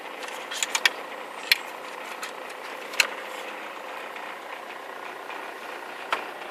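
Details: Toyota AE94 Corolla with 4AGE 20V Silvertop engine conversion, after fixing the idle issue: sharp uneven clicking over a quiet steady idle; source not yet identified and driving unaffected; engine side mount has about 270,000 km.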